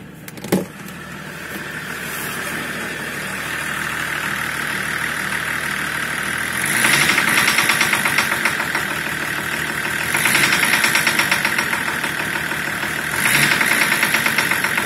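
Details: BMW M51D25 diesel, started and idling: a sharp, fast metallic knock over the clatter, louder with each throttle blip; it appeared after a 500 m drive, and a faulty injector is suspected.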